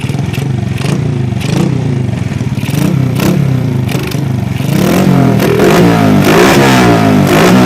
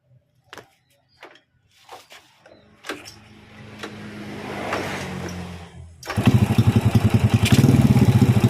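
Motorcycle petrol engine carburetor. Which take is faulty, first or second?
first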